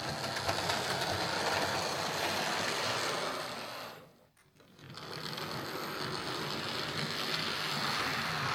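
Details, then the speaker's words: Hornby R2309 King Class "King George VI" model locomotive in BR Blue running forwards: motor whirs with a fine, even gritty rattle that eases briefly mid-run; a slight grinding from dry gears lacking grease. "Yeah, it's not bad. It's making a wee bit of a grinding sound going forwards, which it shouldn't be doing, but it's not that bad."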